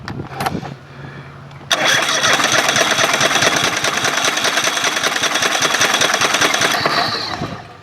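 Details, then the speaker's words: Craftsman GT5000 lawn tractor during a woodruff key replacement: cranks, runs rough and uneven briefly, then dies. Owner suspects the left bank runs overly rich and the left coil pack fires at the wrong time, causing an intermittent tick. "and it's not running well enough to keep"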